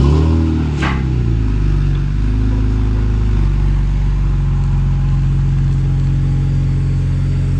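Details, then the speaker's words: BMW E46 after an exhaust leak near the resonator was patched with muffler cement and foil tape and heat-cured at operating temperature: brief rev, then an even, smooth idle with no puffing or ticking; exhaust leak gone. "no more exhaust leak i do believe it worked pretty healthy now"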